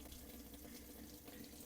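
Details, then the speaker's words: Toshiba AW-8970ST washing machine showing error E5: steady splashing flow of water running out the outer drain hose while filling, so the tub never holds water; drain valve held open by debris. "เห็นมยครับเน้ำไหลอยู่นะครับแต่ว่าน้ำไม่อยู่นะครับเนี่ยเหมือนน้ำไหลออกจากเครื่องตลอดเวลานะครับบริเวณท่อน้ำเท้งด้านนอก"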